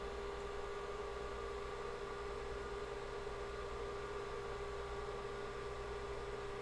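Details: Rebuilt IBM 5150 PC during final assembly and testing, after reconnecting motherboard power and booting from the hard drive: steady, even hum with a constant mid-pitched tone over soft fan rush, no ticks, grinding or speed changes; normal running.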